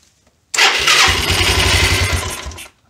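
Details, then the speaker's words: 1993 Yamaha Riva 125 scooter, first start after fitting a cheap GY6-type replacement carburetor, with the fuel supply line suspected blocked at a vacuum-operated fuel valve. The engine catches, revs briefly, runs about two seconds on residual gas, then dies from fuel starvation. "so I think I'm not gonna have any fuel though because of No thank you let's see what happens"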